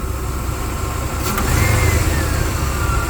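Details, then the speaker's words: 1993 S10 Blazer V8 after engine install, running a little hot, noisy alternator: deep, steady low rumble with even firing through a light rev, no knocks or ticks; great oil pressure, sounds good. "Pretty exciting. Sounds good. It's got great oil pressure too."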